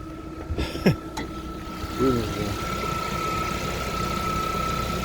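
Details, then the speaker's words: Cold idle of a 2020 Lada Vesta after an engine overhaul at 36,220 km, done after oil burning and a burnt valve blamed on catalyst removal and undersized pistons. After handling clatters it settles to a quiet, even idle with no knocking; normal. "так на холодную должен работать двигатель 1 и 6 на месте которым все в порядке"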